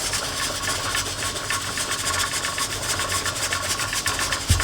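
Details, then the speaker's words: Presto pressure canner with carrots: the weight rocks fast, three to four hissing pulses a second, with heat too high. "see that it is slowed down considerably but we're still above the 10 lb it's still going"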